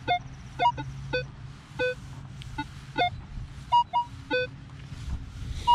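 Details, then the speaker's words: Minelab Equinox 800 with 15-inch coil at 20 kHz, ground balance 54, over a deep silver dime (about 12 inches): short beeps whose pitch keeps changing as target numbers jump down; jumpy target ID on deep target. "Holy crap, I can't believe it still gets it at 20 kilohertz. It's jumping way down a little bit though, notice?"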